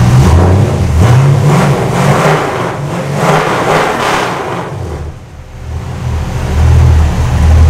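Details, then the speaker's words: Custom 1956 Studebaker Sky Hawk on a second start after a transmission swap, smoking; owner suspects funky old gas and cleaner in the fuel and plans fresh gas. Surges unevenly, sags nearly to stalling, then picks up. Rough running. "Smoke, but it's got that funky gas and car cleaner and everything else in there, so we'll put fresh gas in it and then we'll give it another shot a little later today."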